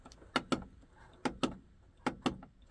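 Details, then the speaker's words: 1990 Jeep Grand Wagoneer overhead console, dome light switches replaced by owner (originals tend to melt from heat and stop clicking): crisp, sharp clicks in quick pairs about once a second. Normal switch click. "you hear the clicking uh they all tend to kind of heat up from the decades and it kind of melts the switches and they don't click or they don't work anymore"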